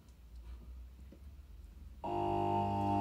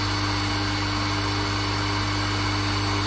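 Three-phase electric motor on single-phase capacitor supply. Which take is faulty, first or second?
first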